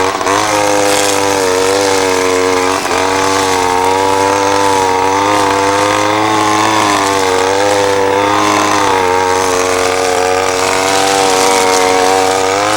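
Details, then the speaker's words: Ryobi SS30 30cc two-stroke weed trimmer after a simple low-side carburetor adjustment: clean high buzz with gentle waver, no bogging or cutting out; runs great though perhaps not exactly fine-tuned. "trimmers running great just a little bit of tweaking has definitely helped and it's probably not exactly fine-tuned but uh you know it's running great as far as I'm concerned here it's just not bogging down it's not stalling out"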